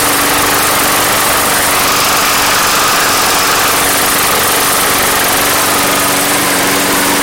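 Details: Craftsman Platinum mower, Briggs 190cc, after fixing no-start with replacement carb; steady even buzzing note at constant speed, no surging or misfire, healthy, though gas had been pouring from the crankcase vent.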